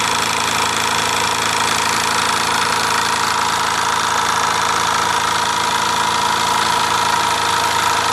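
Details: Mamod SE3 twin-cylinder toy steam engine, recently cleaned and tightened, with a small leak at the whistle and safety valve weeping steam: fast uneven chuffing about two beats a second with a hissy background; idles a bit rough.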